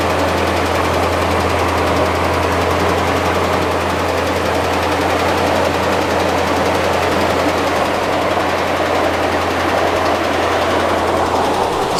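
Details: Dodge Ram 5.7 Hemi V8 at idle: fast sharp ticking at engine speed over steady idle, owner says worse than a Hemi tick; cause undiagnosed.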